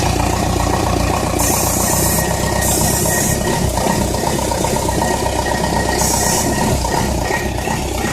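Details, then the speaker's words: Ingersoll Rand diesel with a timer-relay starter that keeps running for seconds after the engine fires: a steady diesel idle with continuous starter gear whir and rattle over it. Starter stays engaged after start. "and once it starts the starter sits there running for so many seconds before it'll shut off"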